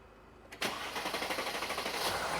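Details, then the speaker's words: 2017 Mercedes GLS 450 3.0L, codes P0016/P0011, on battery charger: quick cranking chatter running well over a second before catching; long crank before start. "Oh, look at that long crank."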